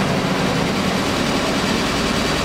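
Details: Kia Rio at idle after a stiff clutch pedal repair: a smooth, even hum with no knocks, rattles or chatter. The engine sounds healthy.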